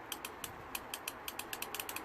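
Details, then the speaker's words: Peugeot 1.6 e-HDI with engine light and codes P0031, P2425, P0102: solenoid valve bench-tested on 12 volts gives crisp, sharp clicks with no buzz or hesitation and closes when energised; valve judged good, to be cleaned and repaired rather than replaced. "And even when I blow air through here and I activate the valve, it actually closes. So the valve is good, guys, and decision has been made."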